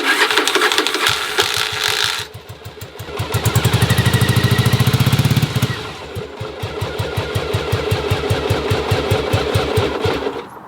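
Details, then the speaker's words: 1981 Yamaha Virago V-twin, sat in cold storage, cold start on choke; loud starter clatter (normal for Viragos), then lumpy firing surging and sagging, struggling to stay running unless revs held high. "don't judge me because the starter is loud verago do that it's okay it might sound like it's broken but it's not"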